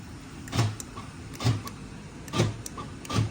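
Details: 1995 Lincoln Continental, 4.6-litre, thought to have about 28,000 miles: power door locks give four crisp, even clunks about a second apart with no grinding or hesitation; the actuators are working normally.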